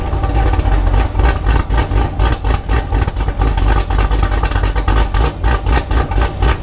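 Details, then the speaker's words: 2019 Camaro SS with Pray Stage 3 cam, ported heads and intake, Speed Engineering headers with catless X-pipe, E85 and nitrous: loud exhaust cracks about four per second at 2500 rpm while the two-step limiter holds revs. Rough by design, engine healthy. Normal two-step limiter pops. "I think that's because of the two-stepping when it pops it gets really loud"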